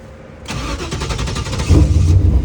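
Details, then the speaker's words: 1995 Camaro Z28 after an AC and heater box delete, tried after a 10-minute battery wait. The fuel pump primes, about a second of cranking, then it catches to a low idle and shuts off, with no dash. "Fuel pump primes. Starts and turns off. Try it again."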